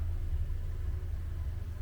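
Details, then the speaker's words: 2020 Nissan Qashqai 1.5 dCi K9K, 41,000 miles, after injector replacement fixed a crank-no-start with no fault codes: low, smooth, even diesel tick-over with no knocks or misses; normal idle, no fault codes. "You know, the car is ticking over, and we've got no fault codes whatsoever."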